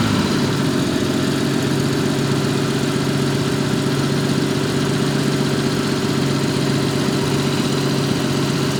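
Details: 1974 Jaguar XJ12 Series II V12 running: smooth, even note with steady low pulse, no stumbles or gaps; engine now running on all cylinders and healthy.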